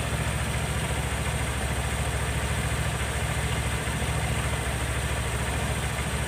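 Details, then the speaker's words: Honda Vario 110 carbureted scooter after air filter refit and idle adjustment, new automatic choke fitted (old one's needle broken); steady even idle about three and a half beats a second, no hunting, idle now normal. "Suaranya lebih baik dari yang sebelumnya, ya. Kita cek dulu, Guys, ya. [Musik] Oke, Guys, ya. Langsamnya sudah normal, Guys, ya."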